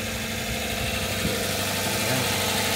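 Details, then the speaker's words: Kia started up before being cleaned of mould, mud and rust; it starts readily. Steady, even idle with a smooth low rumble, no knocks or misses; it settles and runs cleanly. "No õnneks ta läheb käima ilusti. No käima ta läheb kuredi nagu prillikivi."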